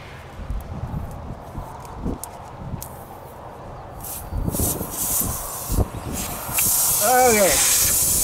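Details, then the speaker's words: Tire puncture being repaired with a plug kit: sharp hiss of escaping air through scraping and tool handling, swelling steadily; the first plug didn't take and air still leaks through the puncture before it is reamed and replugged. "well it didn't take I could still hear it hissing right there see stopped but it's still going to try it a second time"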